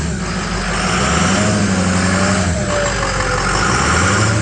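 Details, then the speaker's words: Ford 6.0 Power Stroke V8 diesel revved after #8 fuel injector replacement: pitch climbs cleanly and settles back with no hesitation, stumble or flat spot, smooth as silk; smooth rev response. "Listen, no hesitation, it works beautifully. Beautifully. No hesitation. Yeah, you would rev it and it would go broom, broom. Smooth. Smooth as silk."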